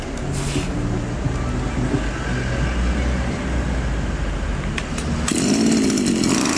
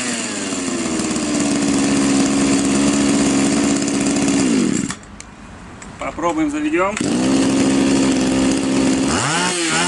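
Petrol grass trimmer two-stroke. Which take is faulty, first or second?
first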